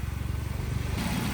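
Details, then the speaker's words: Vauxhall Corsa VXR replacement engine, with the exhaust now fitted but no coolant yet, run only briefly: steady, even pulses at idle with no knocks or stumbles; a solid engine, though fault codes still need clearing. "There you go, that's it idling. Like I say, you need to clear these cords, but that's a solid engine right there."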